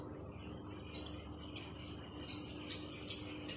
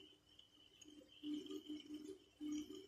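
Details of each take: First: Ultralight fishing reel being hand-cranked: sharp high chirps two to three times a second over a faint hum, an abnormal squeak or noise when the handle is turned, before repair. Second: Ultralight fishing reel after repair of a noise when turning: soft, even gear whir in short bursts as the handle turns, no grinding or clicking; noise gone, rotating smoothly.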